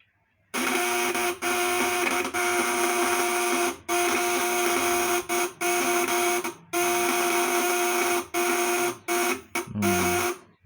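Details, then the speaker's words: Fish-shocker inverter (setrum, 8 ons, 400 V AC) on 24 V, platinum vibrator contacts dirty and loosely set; harsh buzz cutting out and restarting in ragged bursts; contacts need frequent polishing. "nah ini ada yang kotor ya temen-temen Jadi kalau porno platina harus sering dihaluskan yakni ada yang kotor akan dari dulu ya setelan kendor"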